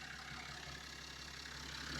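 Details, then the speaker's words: BMW 430d diesel idling after the crankshaft kit was fitted to cure a knock: a steady low hum and even, quiet clatter with no knocking, no dash lights; a suspected wheel-bearing noise and oil smoke remain. "At the moment it looks fine. It sounds good. We've got no lights on the dash."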